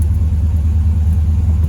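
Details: LS-swapped (6.0 LS tagged) Chevy Monte Carlo project at a deep, steady idle with an even pulse and no knocks or misses; owner says it runs really well now.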